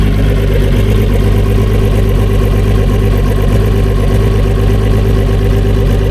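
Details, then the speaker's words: New-technology two-stroke outboard on boat Eleanor after re-power replacing a 250HO E-TEC, power steering: idling with a lumpy, even, angry but clean low burble, no knocks or rattles; healthy. "Like, you can hear it, like, it just sounds angry. But a clean angry, not a 300X, spicy, angry, crackly, like it's new technology."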